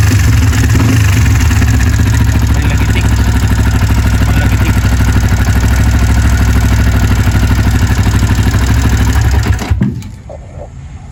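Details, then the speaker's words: Sniper 150, idling before repair on the stock tensioner: fast, even beats with a loud light mechanical clatter on top; the owner suspects the stock cam chain tensioner, not confirmed. "Palit tayo ng cams at sobrang ingay ng cams, baka siguro dahil sa stock na tensioner."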